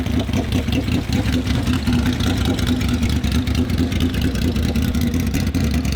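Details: Turbocharged Honda VFR800 (Temu turbo) with replacement throttle bodies fitted, no warning lights, warmed up: uneven, stumbling misfire, spluttering and cutting out under heavier throttle; spark plugs show some oil. Previously started and idled but wouldn't rev.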